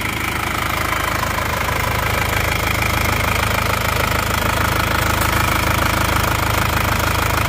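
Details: Isuzu Panther diesel at working temperature, after new original liners and piston rings fixed a compression leak that smoked at the oil filler cap and dipstick; steady clatter about three beats a second, even rhythm, no misfires; normal idle.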